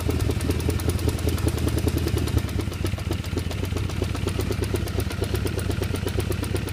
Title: 1978 Honda CB550K Ticking Noise